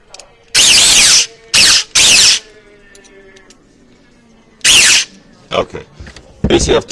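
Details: Echo1 Troy airsoft gearbox after fitting a modified 16:1 speed gear set: short, sharp full-auto bursts with a harsh, gritty whir between shots. The bevel gear is shimmed too low and needs to be raised a lot.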